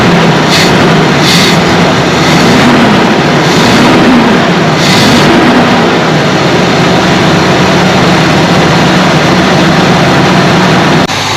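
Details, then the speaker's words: 1978 Chevy C20 4wd, 350 small-block V8, after a backfire fix (new cap, rotor, coil, plugs, coil ground strap): cranks, catches right away and settles into a loud, steady idle with no backfire or stumble; normal. "Okay, just got back from a test drive in our truck, and I'll say sounds pretty doggone good."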